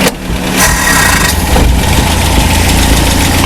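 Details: 1968 Commer 2500 van, out of gear: the engine catches and revs, but the rise is uneven and flat, stumbling and dying under quick throttle; slow acceleration is fine and it is the same with no choke. Carburetor or spark suspected. Hesitation on acceleration.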